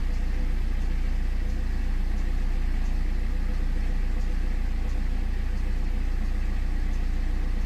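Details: 2008 BMW E60 520d diesel, first cold start after fitting a new battery, before scanning for limp mode and radiator fan issues: steady, even diesel clatter at idle, no misses or knocks, no fans running yet.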